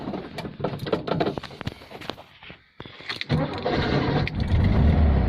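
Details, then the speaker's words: 1971 VW Beetle automatic, restored, with a rebuilt engine built as a 1700 and a rebuilt gearbox, 30,000 miles showing: brief cranking, then it catches quickly and settles into a steady low idle, starting cleanly. "Starts up nicely."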